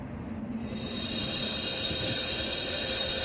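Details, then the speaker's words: 2007 Freightliner Classic with the rear double-chamber brake pod tested on brake release, after a quick release valve replacement failed to fix the air loss; a sharp, steady, high-pitched hiss from the leaking brake chamber. Air brake chamber leak. "as you hear it is leaking [Music] so this is our problem it was not the air valve"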